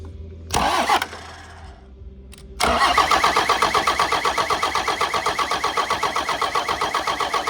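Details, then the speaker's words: 1993 Dodge W250 with Cummins intercooled diesel, reportedly 120,000 miles, not heard running before: even cranking at about four compressions a second that never catches; only three injector lines give good fuel, air still in lines. "The other 2 that had fuel coming out of them are kind of iffy. So we'll crank her over a bit more."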